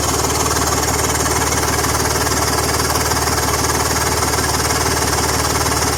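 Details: BMW M54 engine at steady idle with a fast, even puffing tick about three per second riding over it; exhaust leak.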